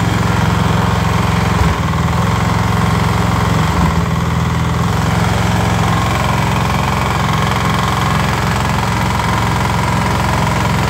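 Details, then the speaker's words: Snowblower small engine idling after crankshaft horizontal play was eliminated with a stainless shim; bearings are fine with no vertical play. Uneven knocking tapping about three to four per second persists; owner suspects the crankshaft and bottom end. "предположить что стучит коленвал потому что подшипники все живые подшипники вертикального люфта нет вообще стой вот а стук остался"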